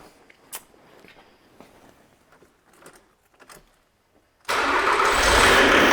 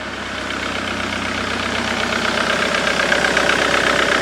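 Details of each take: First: 2008 Jaguar X-Type 2.0 diesel before repair, codes for injection control pressure too high; starts into loud harsh rattling clatter, smoking, rough until shutdown; pressure regulator getting too little power; rough running from low regulator supply. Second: 2008 Jaguar X-Type 2.0 diesel after fitting a replacement fuse box (corroded one had cut power to the fuel pressure regulator/IMV); steady even clatter at idle, rail pressure normal around 260 bar; normal idle.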